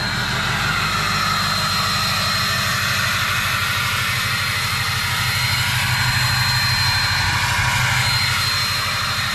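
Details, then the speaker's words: Ford 6.0 Powerstroke diesel build with MBRP exhaust, S&B cold air intake and SCT Livewire tuner (performance setting), idling after test drive: loud, even clatter with strong turbo whistle, sounds like a jet idling; normal idle. "I get the six liter fired up here the same absolutely just sounds like a jet idling"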